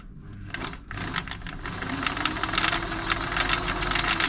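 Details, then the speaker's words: Singer 507 sewing machine run slowly after feed dog gear replacement, mechanism bone dry before oiling: irregular clattering and rattling clunks over a light motor whir; timing good but very clunky, oil hoped to quieten it. "a little bit noisy but hopefully some oil will sort that [Applause] out is bone dry in there I'm happy with the timing happy with the feed dog timing not happy with the noise it's very clunky"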